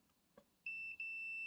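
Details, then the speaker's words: Deep fryer repair, multimeter in continuity mode on thermostat knob output, turned fully right until it clicks: steady high-pitched beep with one brief dropout; continuity beep, thermostat switch conducting. "yeah it beeps so I think that one is working without the switch"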